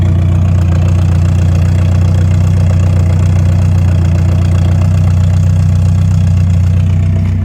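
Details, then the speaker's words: Morris Minor revived after years off the road, after a distributor tweak and mixture screw adjustment: deep, steady, even exhaust burble at idle, sounding well tuned; fuel pump is making strange noises separately. "obviously I take for a drive to see what it's like but overall that sounds good"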